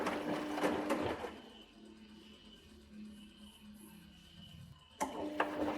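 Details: Washing machine makes a loud raspy whir in bursts, easing to a soft hum between, like snoring; cause suspected, not confirmed.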